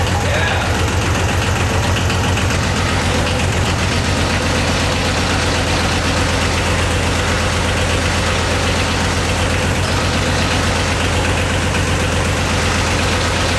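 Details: Yanmar YM276 diesel tractor started after clutch replacement: low clatter runs on without stalling, note shifting slightly after a couple of seconds; running normally.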